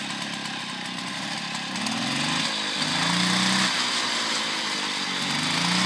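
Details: 1972 Motobécane 40V moped, first start after cleaning and engine overhaul: high buzzy two-stroke note rising and falling as the throttle is blipped, picking up cleanly each time. It runs healthy.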